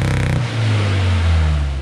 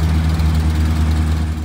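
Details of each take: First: 1962 Austin Healey Sprite Mark II, long-sitting, first start with frozen carb pistons and uneven chokes: cranks, catches and stumbles, revs surging and sagging with uneven firing, barely holding on; mixture needs setting, slight smoke from oil added. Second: 1962 Austin Healey Sprite Mark II, long-sitting, after priming the oil pump to cure no oil pressure: steady even low idle with smooth unbroken beat, no ticks or knocks; healthy running with oil pressure.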